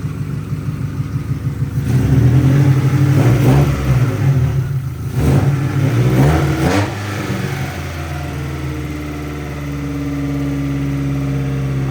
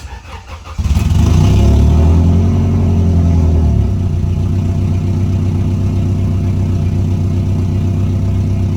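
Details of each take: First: Integra: the engine revs up and down, then hangs at a raised hum instead of dropping back to its earlier healthy idle of about 800 rpm. The throttle body is suspected of not closing, but this is not confirmed. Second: Integra starting after the vacuum leak was repaired: a clean, quick start and a short rev flare, then an even idle just under 1000 rpm while still warming up, with no hiss or stumble. The leak appears fixed.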